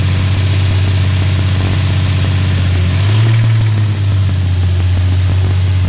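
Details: 2008 Nissan 350Z idling with a sharp, evenly spaced knock about three per second over the low engine hum; described as rod knock, deep bottom-end knock suspected, not confirmed.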